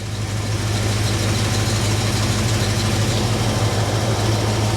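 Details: Jeep CJ-7 AMC 304 V8 idling after an oil service, 50 psi oil pressure, while the oil sending unit is checked for leaks: a steady, even low V8 rumble with a smooth rhythmic pulse and no knocks or ticks. It is a normal, healthy idle.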